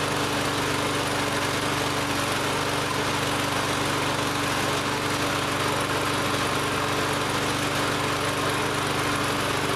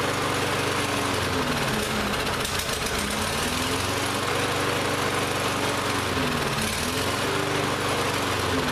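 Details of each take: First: Lawn-Boy mower after carb cleaner was sprayed into the intake, air filter and cover still off: steady, even drone with no surging or stumbling, running cleanly. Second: Lawn-Boy mower that ran last season but wouldn't start this season, after repeated start attempts: uneven running, pitch wandering and dipping as it hunts; carburetor still partly gummed up.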